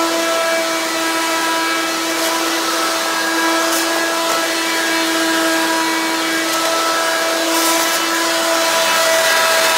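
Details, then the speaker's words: Hoover Quik Broom II S2141 stick vacuum, damaged in shipping: very loud, harsh, steady high whine, louder than an S2095; owner suspects the motor knocked out of balance or a broken fan, not confirmed. "I normally don't like to use it that much because this is stupidly loud to the point it is unbearable to use"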